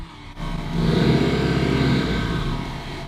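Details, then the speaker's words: Tuned 400 hp Honda race car after repeated launch control: engine revs briefly and settles, sounding rough and strained with an uneven rasp; never sounded like this before, internal fault suspected, cause unknown. "Yeah, it's running. It's not stalling. Come on. Oh my god, this sounds so sad. It's unbelievable."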